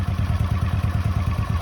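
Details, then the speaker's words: 1981 Honda CX500, laid up 1995–2022, 32,000 miles, overhauled, 39 miles since, before a 30-mile ride: low even thrum with steady regular pulses at idle, no knocks or rattles; running spot on. "yeah yeah so as you can hear the bike is running spot on so hopefully shouldn't have any problems whatsoever"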